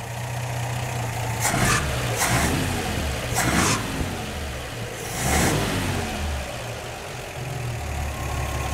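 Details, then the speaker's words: 1949 Chevy 3100 with a Pertronix Flamethrower distributor after swapping to high-range copper advance springs, idle set down to about 600 rpm with timing about 12 degrees BTDC; four throttle blips rev cleanly without stumble and return to a steady idle. "so i'm going to try around 600 now and it just seems a whole lot smoother when i do a manually do an acceleration"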